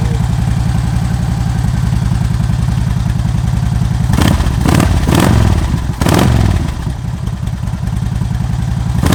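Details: 2009 Harley-Davidson Ultra Classic, 78,000 miles: V-twin fires up, steady loping idle with a couple of blips, even beat, nothing knocking; normal idle, healthy.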